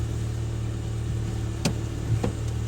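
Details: 2013 Ford Fiesta 1.25 L after fixing a cylinder 3 misfire (code P0303) by replacing coil pack, spark plugs and leads, codes cleared: steady low idle hum with even firing and no stumble; runs smoothly.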